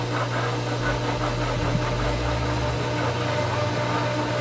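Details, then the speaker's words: Pool pump at season opening, first start while priming: steady low motor hum with faint gurgles and spits as it pulls air, not yet primed, before it begins taking water. "i kind of know based on the sound of it right now it sounds like it's really trying to pull some water but there there was a little drop that came"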